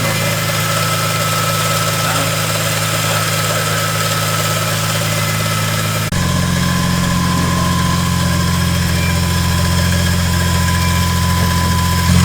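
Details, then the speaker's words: BMW E46 M3 first start after new spark plugs, ignition coils and valve cover gasket, weak battery: loud idle with uneven metallic chatter, caused by a ratchet and socket left on the crank pulley. "But I had my ratchet on the crank pulley to spin the engine. And yeah, so that's what the noise was, is the ratchet and the socket are still on the crank pulley."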